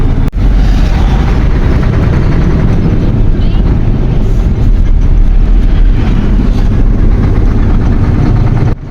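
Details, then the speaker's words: Isuzu 6WF1 truck diesel with low power, heavy black smoke and misfire, tested above 2000 rpm: loud uneven popping clatter, suspected faulty injectors, injectors then removed one by one to check. "Napansin niyo ang andar ng makina parang may magpalakpakan sir pakinggan niyong mabuti ang boses ng makina ay parang nsang ng sweet corn"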